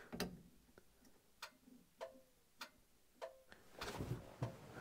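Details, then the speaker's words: 1980 Dodge W200 with Magnum 5.9L during restoration, ignition on, electrical checks: crisp ticks every 0.6–0.7 seconds in quiet cab; turn signal flasher working normally, though dash lights and other lights don't work. "got a turn signal. I see it blinking. Oh, yeah. So we got a blinker there."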